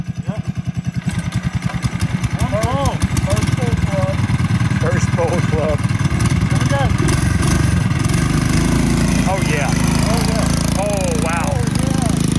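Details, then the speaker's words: 1980s MTD mini bike, sat 2 years, original 3.5 hp Tecumseh swapped for a Tillotson 212cc engine, on a 10,000 ft Rocky Mountain trail: catches and settles into a quick, even thump that builds and holds without misses; running healthy. "yeah I can't believe the mtd's doing it yeah dude it didn't have any problems with it dude"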